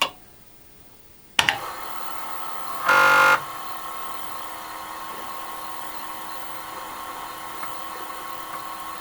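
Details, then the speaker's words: Commodore 8050 dual disk drive, restored after non-working trash find, formatting drive one: quiet background, short loud buzzing burst near three seconds, then steady hum as heads move; normal operation. "heads moving so supposedly it's formatting now"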